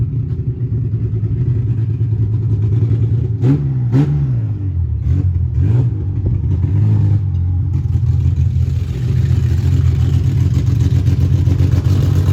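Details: Widebody BMW E30 on MegaSquirt ECU, test drive: low uneven engine note surging through ragged revs under throttle; owner says it has tuning issues; rough running on untuned map.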